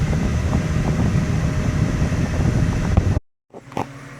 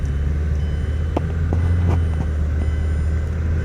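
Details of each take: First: 2008 Mazda 6 4-cylinder, driving after replacing the failed hydraulic passenger-side engine mount: even engine drone pulling away with wind rush, no thumping or vibration; noise gone. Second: 2008 Mazda 6 4-cylinder: deep droning rumble with dull thumps on takeoff from a worn passenger-side hydraulic engine mount, fluid likely leaked; mainly on takeoff, before mount replacement.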